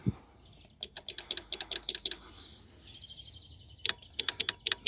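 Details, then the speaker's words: VW Golf 2 1.8 RP horn circuit: quick bursts of sharp relay clicks with no horn tone. The relay works, but a new fuse blows instantly; one of the two horns is suspected defective. "vom relais das funktioniert schon mal aber die sicherung ist schonmal instant durchgebrannt"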